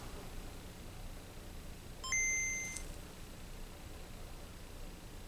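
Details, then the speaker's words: Game Boy DMG that powers on but often fails to boot, after reflowing (owner suspects clock/crystal issue): quiet hiss then clean two-note boot chime, normal on first start-up after not starting; it then stops booting again. "Okay, it did the thingy, which is normal for it to when it first starts up after not starting up."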